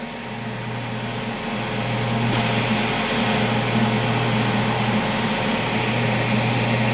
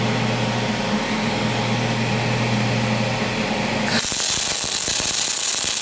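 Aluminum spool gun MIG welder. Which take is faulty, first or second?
second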